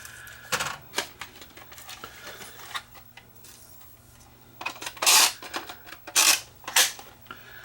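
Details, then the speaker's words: Philips VRB615 VCR powered up for the first time and loaded with a garbage tape: irregular bursts of clicking and short whirring about once a second as the transport cycles; the pendulum gear flips, so belt likely fine; dirty mode switch. "So this is screaming mechanical problems. I don't think the belt is bad because, well, the pendulum gear flips back and forth."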